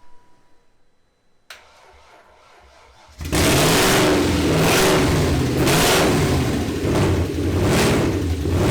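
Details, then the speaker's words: BMW 540i V8 first start after engine install, old spark plugs: catches after cranking then surges about once a second with uneven lumpy beat; dead miss, cause not confirmed. "Sounded like it had dead miss in it. Did you hear it? I heard it. Dead miss."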